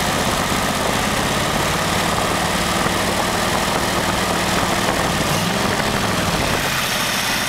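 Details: Very old stock Studebaker 259 V8 with AFB carburetor and new Evans intake, first start, idling about 700 rpm: steady low idle with a light metallic rattle on top; loose water pump rattling, to be fixed.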